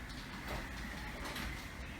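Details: Sommer Direct Drive garage door opener after repair, opened from the wall unit: quiet steady motor drone as the door rolls, no grinding or straining; normal operation.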